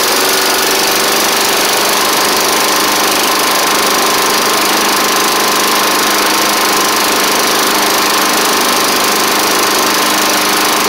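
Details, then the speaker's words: Snapper Hi-Vac push mower with a Tecumseh engine, just restarted after a carb swap and cylinder head cleaning: harsh, busy clatter at fixed throttle with a faint light knock. It smoked less than expected but runs rough; an oil change is planned before further running. "well she is running it ain't the it it didn't smoke up as bad as I thought but ma'am doesn't really sound the best either unfortunately"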